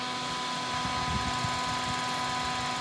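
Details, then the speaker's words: Former inspection terminal PC with original hardware, first power-on: loud, steady fan roar with a fixed hum under it and nothing shown on screen; loud fan, no boot, fault unknown. "spinning nothing's happening in the screen it sounds like it's very upset"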